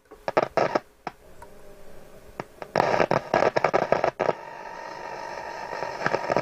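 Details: Hacker Autocrat RP33 radio: quiet hiss broken by harsh crackling bursts each time the tuning vanes are moved; tuning capacitor shorted, with plates touching at the top.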